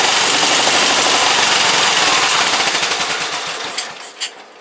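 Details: Briggs & Stratton 17.5 OHV single-cylinder lawnmower engine, muffler fitted, bottle-fed fuel, on a substitute carburetor; pops in a fast ragged burst then stumbles and sputters out within seconds; carburetor judged junk, other carburetor to be refitted.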